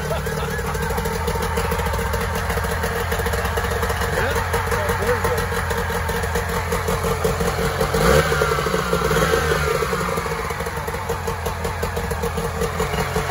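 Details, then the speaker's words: 1994 Mariner 30 hp two-stroke outboard in a test bucket after a carb clean and a new water pump: ticks over at an even beat, picks up cleanly on a throttle blip and settles back, idling normally. "success all right it's running okay that's a good sign"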